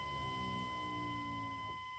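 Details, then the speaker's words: 1999 Chevrolet 2500 pickup with LQ4 turbo swap, new Quantum 044-style frame-mounted fuel pump, key on: steady high-pitched hum with lower buzz fading near the end; healthy pump priming. "oh yeah that sounds much better let's see if she fires up"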